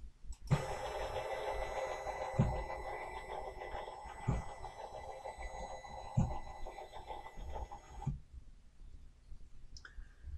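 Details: Sainsmart 3018 PRO CNC during GRBL acceleration tuning, lowered from 2200 after jamming at rail ends to 2000: steady stepper hum about eight seconds, soft regular bumps at move changes, no skipping; normal stepper traverse.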